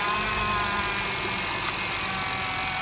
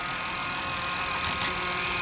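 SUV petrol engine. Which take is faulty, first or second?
second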